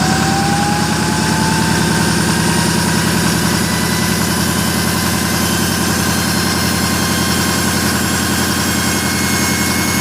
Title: Loud noise from 6.4l no boost